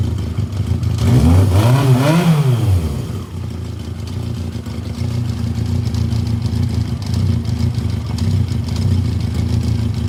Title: Yamaha XJ750 engine knocking sound